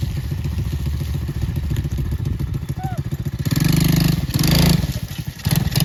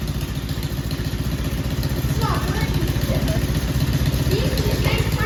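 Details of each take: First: Four-wheeler run after months of winter storage: a loose metallic rattle rides the engine pulses at idle and on throttle blips, starting right after a mud run. Source not pinned down; the owner fears something broke. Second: Four-wheeler ATV petrol engine after sitting 2-3 months through cold winter, battery problem, warm day: steady, slightly lumpy idle about four beats a second, keeps running; normal idle after storage.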